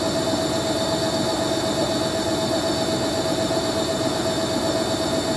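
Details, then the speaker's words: Hoover A3060 Electronic 1100 washing machine on Fast Coloureds 60°C with a slightly unbalanced load: thin steady high squeal over the spin roar from dry motor bearings needing oiling or grease. "Yeah, it sounds like the motor bearing is going to need oiling up."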